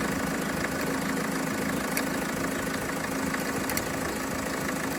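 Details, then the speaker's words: Renault Trafic diesel work van, nearly 240,000 miles, idling with old alternator refitted and belt tightened; rough whirring drone over the engine clatter still sounds terrible; faulty alternator blamed, new one ordered. "Okay. All right. So, anyway, that sounds terrible as well."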